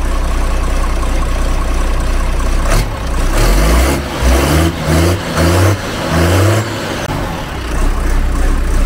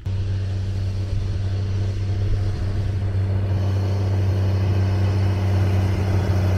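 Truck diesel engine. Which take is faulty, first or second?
second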